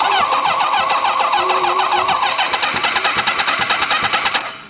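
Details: 1983 Kawasaki GPZ1100 on a road trip after removing, beating on and refitting the fuel regulator and priming: starter cranks steadily about two beats a second for four seconds with no firing; cranks but won't start, cause unconfirmed.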